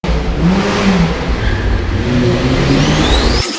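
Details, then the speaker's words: Boosted Miata on MegaSquirt: idle stuck high around 1500 rpm, droning and wavering without settling, with a rising whir at the end; closed-loop idle settings didn't fix it; owner suspects a bad idle control valve. "what was happening was the idle was totally out of control it started off at 1500 RPM and I was like that's weird uh it just wasn't coming down"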